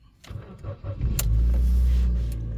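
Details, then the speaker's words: 2006 Ford Fiesta Zetec after DIY ignition switch barrel replacement, in neutral: brief crank catches within about a second and settles into a steady, even idle; engine starts normally, fix worked. "it starts so yeah I think we got it guys"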